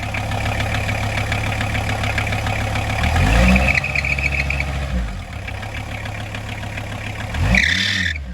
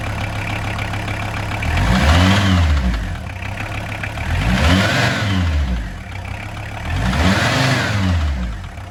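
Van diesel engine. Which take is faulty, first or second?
first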